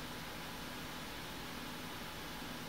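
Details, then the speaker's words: Radiator fans in a Ryzen 7 1700X water-cooled PC, run from the CPU optional fan header and set to full speed in BIOS: steady even airy rush, no ticking or rattle; fans healthy. "running full-speed watch what happens while I set them to silent"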